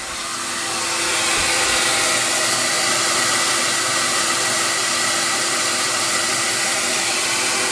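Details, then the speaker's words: CamVac CGV286 twin-motor dust extractor exhausting air directly outside, just below 70 dB. A soft, steady, airy rush with an even hum, not harsh; runs normally. "now the noise that I'm hearing is a very soft kind of noise and it's not harsh than the years"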